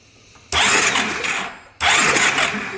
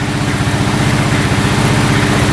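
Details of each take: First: 2012 Honda Rancher 420 ATV: three bursts of fast, even starter cranking that never fire; no spark at all, kill switch working, still no spark with a new plug or direct engine ground. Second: 2012 Honda Rancher 420 4x4 ATV running without its air filter, slightly lean with occasional backfire: small single-cylinder engine idles with an even steady low thump, no knocks or rattles, no codes, no oil leaks; sounds normal.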